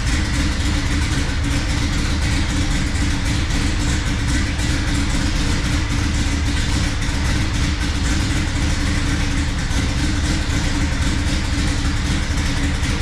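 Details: 1970 Dodge Super Bee with a Gen 3 Hemi on Holley Terminator X EFI, fuel pressure corrected to 58 psi, oil pressure only about 9 to 10: deep V8 idle with an uneven loping beat and irregular stumbles; the misfire persists.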